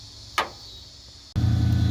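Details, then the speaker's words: 1995 Ford F150 that kept losing power, after cleaning the corroded battery terminals again and fitting new brass cable ends: after a quiet pause the engine catches and settles straight into a steady, even low rumble with no stumble. It is running healthy. "got it running so the wind was just getting it cleaned up a little bit more replacing the ends going with brass so yeah i'm going to call this a win now hopefully it keeps running right"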